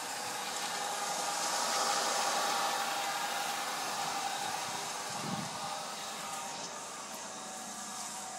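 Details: Caravan with a blown gasket, cold start: even idle under a rushing hiss with a faint regular tapping about four times a second, suggesting an engine knock; cause suspected, not confirmed.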